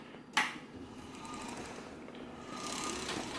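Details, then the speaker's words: Pride power chair drive motor, reassembled after gearbox regreasing: faint electric whir with a dry, hissy rasp over a thin steady tone, no knocking; confirmed brush noise, not rear carrier bearings, harmless and should lessen as brushes wear. "have confirmed it is the brushes not the rear carrier bearings but that's one of those things it doesn't necessarily matter it pretty much just makes noise and doesn't adversely affect the operation of it at all"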